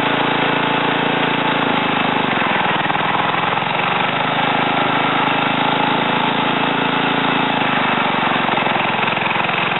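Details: Ariens TA20A Trans-a-matic rototiller, single-cylinder engine rebuilt and clutch repaired, carburetor untouched, tilling soil; steady even beat at working speed, pulling through without stumbling or misfire; normal running.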